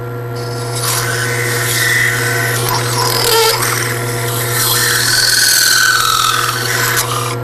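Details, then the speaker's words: Lathe slowed to about 800 rpm, chatter tool (hardwood dowel holding a pointed, ground saw blade with hose clamps) held like a scraper: scraping rasp with thin high squeal over motor hum, the squeal signals good chatter, normal cut. "we when we get a squeal we know we've gotten some good chatter and now it's time to see what it looks like"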